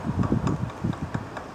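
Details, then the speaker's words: 2017 Chevrolet Prisma 1.0 front suspension: irregular dull knocks, a few per second, heard inside the car as it rocks over uneven ground; play in the front stabilizer (sway bar) link. "E aí e movimentando o carro vai passar para um terreno desnivelado você vai sentir isso aqui ó ó E aí e esse é o ruído que vai escutar dentro do carro"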